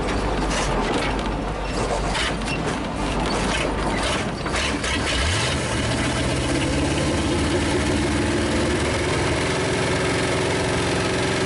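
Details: 1956 Studebaker Golden Hawk first start: cranking rattle, catches around five seconds, then a slightly uneven but steady idle with no heavy knocks. Smoke is PB Blaster on the manifolds. Owner thinks it needs running-in and plans compression tests and a valve check.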